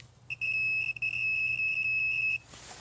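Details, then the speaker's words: Pontiac Grand Prix with misfire and injector circuit code, continuity testing the injector wire: steady high-pitched meter beep for about two seconds, the reference sound of an intact circuit; the suspect wire showed no continuity. "so we have no continuity from here to there than a broken wire all right so this is noise we should be hearing"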